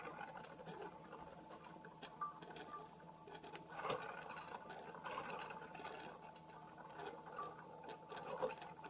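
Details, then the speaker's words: Hamilton Beach FlexBrew Trio 2-Way coffee maker brewing 14 oz setting: faint trickling and gurgling with a rattling inside, thinning to a slow drip; barely pushing water through, machine not working, cause unclear. "so far now it's reduced to a drip and then we get this again. So this machine is not working."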